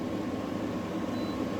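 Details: Newly installed GE AWFS10WWL 10,000 BTU window air conditioner, cycling through modes in cool mode; a steady, smooth hum with a faint low drone and no rattles or surges. Running normally.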